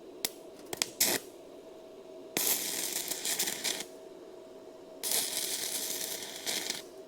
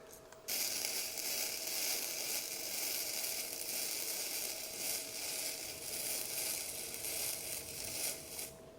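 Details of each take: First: Bestarc entry-level gas-less MIG/stick welder running stick rod at too-low amperage: short crackling bursts start and die out instead of a steady sizzle; arc starved of current, raised to 80 then 90 amps. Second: Bestarc gasless flux-core MIG welder lowered to 70 amps. Steady, even crackle and sizzle with no popping or sputtering: a smooth, stable arc that works beautifully, though 70 amps later proved slightly cold for this steel.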